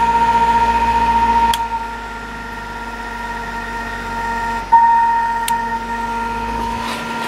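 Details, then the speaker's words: Fan on medium speed running from a Whistler 100 W modified sine wave inverter (12 V in, 115 V out): harsh electrical buzz and whine from the motor, compared with quiet, smooth running on line power. "all right now we're plugged into the inverter I'll notice it does not sound [Music] right medium hello speed isn't that bad but that motor is not liking"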